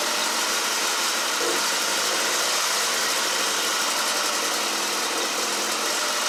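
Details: 2012 Mini Cooper Countryman after bottom-end rebuild for P0304/P0300 misfire, after reconnecting unplugged number one injector: steady, even, unbroken idle hum with no stumble or misfire beat, despite an oil leak; normal idle.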